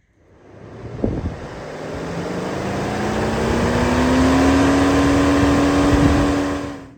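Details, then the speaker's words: Radiator fan triggered by a MUCAR 682 scan tool actuator test in the engine electronics: motor hum climbs in pitch as the fan spins up, then holds a steady tone with no rattle or scrape. Normal cooling fan operation. "can hear the radiator fan is running. See what else we've got."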